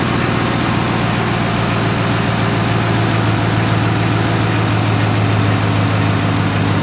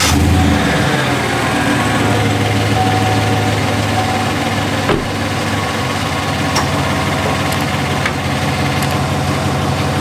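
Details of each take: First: 2017 Chevrolet Silverado 5.3L V8, 88k miles, idling: light rapid tick like a quieter lifter tick, louder on cold starts, loudest at the driver-side fender well; stethoscope traced it to the brake vacuum pump, which was replaced. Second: 2017 Chevrolet Silverado 5.3L V8 with 88k miles idling smoothly after brake vacuum pump replacement: only a light, quick ticking from underneath, much quieter than the former loud ticking.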